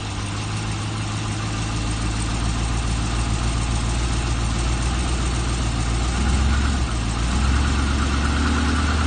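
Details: LS3 V8 at about 40,000 (units unstated) starting and settling into a steady idle with a faint, uneven knock under the low rumble: piston slap.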